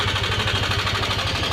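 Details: Yamaha Aerox 155 idling after start: fast, light metallic chatter over the idle, steady with engine speed; timing chain rattling from the timing chain tensioner (adjuster).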